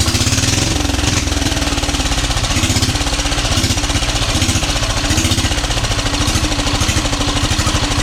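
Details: 12 hp air-cooled single-cylinder diesel after overhaul for hard-to-turn, no-start fault, rocker arm valve clearance set: steady fast thumps with even regular firing, no knocks or misses; runs healthy.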